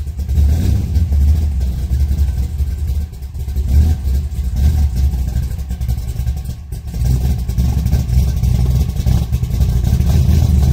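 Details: 1962 Nova V8 after installing chambered mufflers welded onto reused custom-bent mid pipe: deep, rumbling burble, steady and low with gentle swells in revs, no rasp or leak ticks; normal healthy exhaust note.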